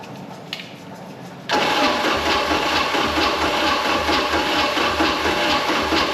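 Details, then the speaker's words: Mercruiser 3.0L, previously seized, fed gas down the carburetor with choke applied: the engine catches abruptly and runs with a raspy, uneven, hissy note as the throttle is worked. Running severely lean. "first play with the throttle man we are on a severe lean aren't we that's fine it doesn't care"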